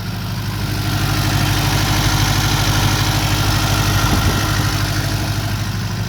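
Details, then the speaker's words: Ford Mk1 Escort panel van carbureted engine idling just after three new inline fuel filters plus a tank filter were fitted to stop the carby blocking: even, regular thump about three beats a second with no misses, a normal idle. "So let's fire up and hopefully it runs. So I now have those 3 filters installed and it is running."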